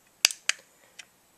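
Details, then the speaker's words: BEME e-Rod motorized drapery rod motor unit off the rod, runs in one direction only: sharp dry relay clicks, four or so in a second and a half, with no motor hum; a direction relay inside is probably broken. "not the other probably a relay broken inside at least with the motor disconnected you can manually move these guys"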